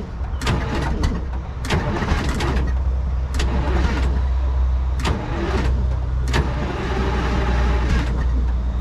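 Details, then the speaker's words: 1970s Chevy C70 with a Detroit Diesel 6V53 two-stroke that sat 30 years, on one Optima battery: long cranking with sharp bursts every second or two when the rack is pulled back manually, but it never keeps running and dumps diesel soot; cause unconfirmed. "So, if I manually pull the rack back, I can uh get it to fire, but then it's just not not staying"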